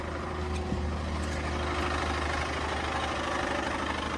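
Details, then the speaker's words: Brand-new Toyota Tundra truck from the dealer: rough uneven clatter at about three beats a second over a low idle drone, then the engine shuts off; internal engine failure. "The engine broke. Unbelievable, guys. Look, you're going to hear the noise right now."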